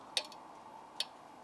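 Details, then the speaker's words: BMW E92 M3 near-side rear brake after a two-mile drive: two sharp metallic ticks about a second apart as the overheated, smoking caliper cools, with heavy brake dust on the wheel. "can you hear that that sounds like I've just been doing some hot laps around a track and it is hot as anything as well"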